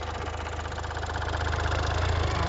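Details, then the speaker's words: Hyundai Verna top model, diesel, used car, recorded from outside after starting: even diesel clatter at low steady idle with smooth rumble, no knock or misfire; normal idle. "বাহিৰৰ পৰা সাউণ্ডটো আপোনালোকক শুনাইছোঁ আচলতে ধুনীয়া sound হয় কোন ধৰণৰ অসুবিধা নাই"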